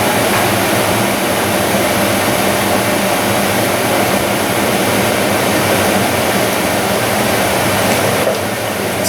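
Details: 2003 Dodge Ram 2500 5.7L Hemi rebuilt heater box, blower on while defrost actuator drives door from full defrost to closed, air then exiting what should be the panel outlet: loud steady air rush with slight change as door closes; blower and mode door working normally.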